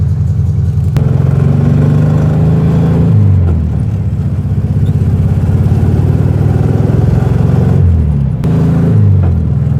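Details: 1967 Volkswagen Beetle air-cooled engine just reinstalled, with an oil change and cleaned screen, revving and settling with an uneven, stumbling beat at low revs; misfire suspected, then the engine died.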